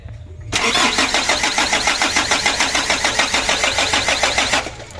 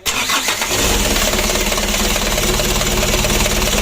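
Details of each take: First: Freshly rebuilt 120 PS 4D34 diesel with a manually serviced injection pump, new air filter, oil and coolant filled: even starter cranking, about 3.5 beats a second for four seconds, never catching; being cranked to bleed fuel to the injector lines. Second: Freshly rebuilt 120 PS 4D34 diesel with a manually serviced injection pump: short crank, then it catches at once and settles to a steady, even idle clatter; oil looks good.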